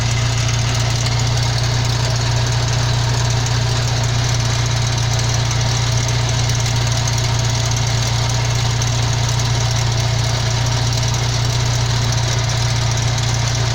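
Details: 1992 Jeep YJ idling: steady low drone with a faint, fairly even rattle about three a second, owner suspects the transfer case; driveline origin uncertain, not confirmed.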